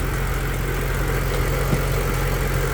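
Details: Stage 3 Audi Allroad, fitted with a by-pipe (map sensor raised), fuel nearly empty: even, steady idle with no ticking, knocking or belt squeal; engine sounds smooth and healthy.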